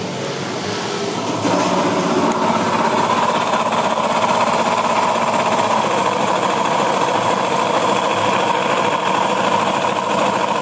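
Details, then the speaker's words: Honda Beat ESP scooter with the CVT fully removed: the engine starts into a loud, harsh rattling clatter, suspected first as connecting rod or left/right crankshaft bearing wear. "Ya, suaranya sangat berisik. untuk CVT sudah dilepas tetapi suaranya masih sangat berisik ya untuk kasus seperti ini ya untuk suara kasar setelah bagian CW dilepas ini sudah dipastikan di bagian mesin ya itu kemungkinan ya analisa pertama ini di bagian stang sehar atau bearing kerukkas kanan kiri ya"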